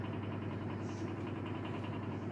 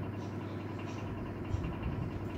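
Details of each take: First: Elcon 16-inch desk fan after motor repair, oscillator still unfixed: steady motor hum with a quick regular pulsing beat and blade rattle on low speed, as the fan still wobbles from bent blades. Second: Elcon 16-inch desk fan after motor repair (7 coins removed from rusted motor): steady low hum, no rattle or scraping; motor runs smoothly and faster than before.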